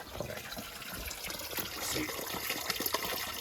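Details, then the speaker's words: Hydronic boiler heating system, around automatic air vent replacement: rushing water with irregular bubbling gurgles as trapped air purges from the heating pipes. "You could usually hear the gurgling in the water, too."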